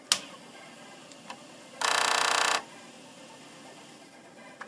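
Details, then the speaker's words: Commodore 1541 disk drive whose motor never stopped, after replacing capacitor C22. At power-on the drive motor whirs and ticks briefly for under a second, then stops as it should; the hybrid IC was not the culprit. "and it stops I'm really happy that this um as you can see here this uh hybrid IC isn't the culprit"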